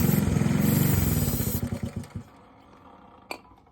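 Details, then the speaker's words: Honda CT Trail 90 that had been running well then acted up, idling: steady putter stumbles and dies when starting fluid is sprayed at an intake joint, confirming an intake air leak there; a new paper gasket made it run better. "Yep, there's air leak right here."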